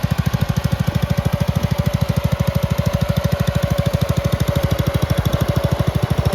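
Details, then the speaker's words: Red 1962 Bolens Ride-a-matic tractor, small single-cylinder engine, after repairs, driving outside at varied revs: steady even low putter staying regular as revs change; normal running. "so as you saw in all of that video this Ry Matic now runs very well it happily ran at different kind of rev levels and It sped around quite fast when I rev up a bit"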